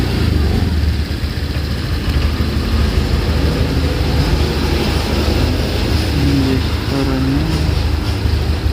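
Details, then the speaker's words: Honda Vario 125 LED: on first throttle opening the engine stumbles and hesitates, then catches on the next twist. The mechanic first suspected the TPS; the scanner showed it normal, and the cause was a dirty air filter. "Nah setelah saya coba Emang di digesa awal itu dia agak Brebes kemudian dia baru nyantol setelah tarikan gas berikutnya"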